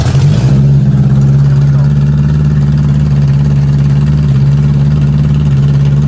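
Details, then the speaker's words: 1978 Honda Goldwing GL1000 after setting points ignition timing, previously not running at all: fires at once into a smooth, low, steady hum with an even beat and no misses; healthy idle. "Fires right up. Purrs like"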